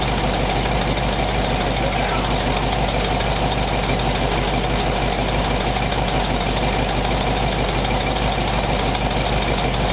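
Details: Warm flathead after about 20 minutes of idle, temperature back down to 180 degrees with thermostat open, 30 psi oil pressure, no exhaust smoke; even, unbroken smooth idle beat with no tapping or stumbling, healthy.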